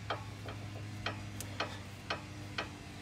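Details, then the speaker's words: 2008 Honda Odyssey with clunk when turning, chirp on uneven roads and highway rattle: sharp dry clicks about twice a second as the sway bar end link is rocked by hand; worn end link needs replacing, other side seems fine. "yep that's the sound so needs a new way were link"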